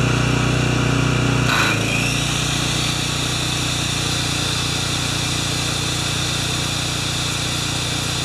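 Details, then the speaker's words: Makita G2400R generator with a non-OEM carb: steady drone dips briefly as the saw kicks in, then settles and holds speed; saw draws about 13 A when triggered and 5.7 A running without load; healthy. "all right so it was around 5.7 amps running without a load that's pretty cool to it was a little higher than I thought but it did draw right around pardon me it did draw right around 13 amps when I squeeze the trigger"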